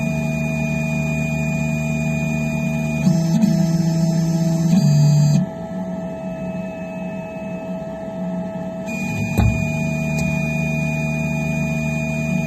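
Steady motor drone from the printer with loud sharp pops breaking through mid-run; popping during operation, cause not yet known.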